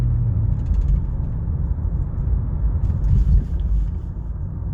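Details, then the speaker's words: 2013 Honda Accord EX-L with CVT, driven over a speed bump before safety inspection, AC off: low, even road rumble with no creaks, clunks or rattles; suspension sounds normal and healthy. "Good. Suspension sounds good. No creeks or rattles or anything crazy."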